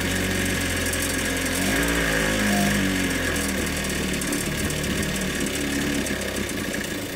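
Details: Ryobi 410 cultivator small two-stroke after swapping in a different carburettor, because the original's primer was cracked and drawing air: buzzes steadily with a slightly uneven, raspy note, holding speed without stalling; engine running normally.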